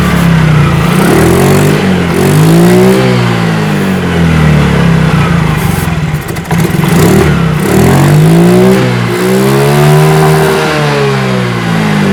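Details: Fuel-injected scooter, previously unable to idle or rev, after cleaning the throttle body with carb cleaner: engine picks up cleanly on each blip, revs rising and falling smoothly with no stumble; throttle response healthy.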